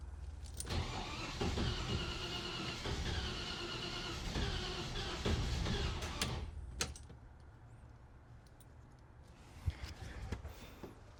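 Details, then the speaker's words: Land Rover Series 2A, first start attempt on unleaded petrol after years on LPG, new fuel pump fitted: starter churns steadily about four beats a second for six seconds, no catch; owner suspects flooding; extended cranking, no start. "No, it looks fine. might be flooded."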